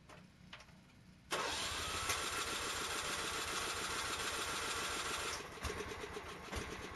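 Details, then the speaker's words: Kohler engine on a riding mower after installing an electric fuel pump, fuel filter and fuel pressure regulator to cure hard starts from bad fuel pumps: cranks, catches at once, steady even run; normal running, no leaks. "got a fuel pump on fuel filter and I went ahead and added a regulator that's supposed to go to one but I don't go to one but it seems to be okay where it's at"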